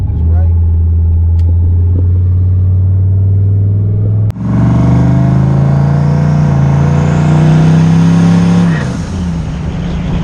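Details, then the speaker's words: Turbo LS-swapped 1996 Impala on E85, first test drive after new head gaskets and a SUM-8706R1 cam: deep V8 rumble climbs smoothly under load, then backs off cleanly with no misfire or knock. Temps, oil and fuel pressure good; normal running under load. "Running pretty good, man. Temps look good. Oil pressure look good. Fuel pressure straight."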